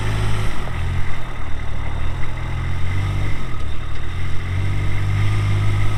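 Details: 2023 Kubota RTV-X1100C diesel utility vehicle, 1,499 hours, 3,330 miles; steady, even low diesel rumble with no knocks, misses or hunting; idle holds smooth and settled, a healthy engine.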